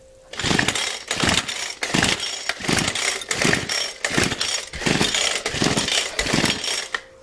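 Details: Craftsman two-stroke weed eater, once run on straight gas, bogs and dies at full throttle: fires in short ragged bursts about one a second, never settling into a steady run; struggling to start.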